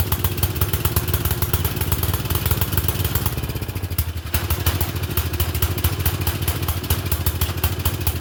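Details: Murray Select 30-inch riding mower with the air filter refitted: a single cylinder thumps unevenly around idle with a loose, lumpy beat and keeps running only on choke. Owner suspects the choke butterfly; not confirmed.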